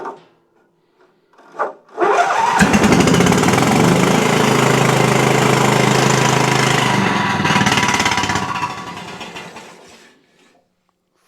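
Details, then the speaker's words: Exmark Quest zero-turn mower with Briggs Intek V-twin, bogs and dies under load: after cranking it catches and runs with a slow, lumpy, weak beat on one cylinder, very sluggish. Fixed by repairing a valve guide. "a trained ear, it's very easy to tell this is running on one cylinder. Uh, very low power, very sluggish."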